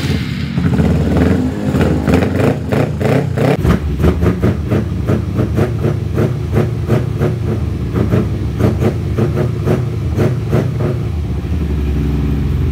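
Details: Kawasaki Ninja 250 twin carburetor bike, after carburetor tuning for a lazy, hesitant stumble at low to mid rpm: fires cleanly and climbs through repeated blips with crisp, even pickup, no stumble; now revs normally.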